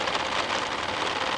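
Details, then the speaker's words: Nissan March, AC on, mic near the fan: harsh, hissy whirring buzz with rough shaky edge; abnormal example, likely a loose/worn fan motor vibrating badly. "itu ada kemungkinan besar dia si motor fan nya oblak Nah bisa diperhatikan biasanya di daerah sini nih itu dia getar getar parah nih di bagian sini ya"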